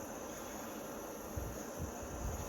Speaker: that's on level 1. That is not bad actually.